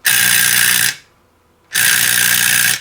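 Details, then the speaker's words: NuTone 478 apartment intercom, AC-fed door release held up to the mic: two harsh rattling buzzes about a second each; the door strike mechanism chatters because its suppression diode is missing, which is technically wrong. "that's the sound that almost everybody expects to hear when being quote buzzed into a building it's the rattly sound of the mechanism inside the door release that is technically wrong"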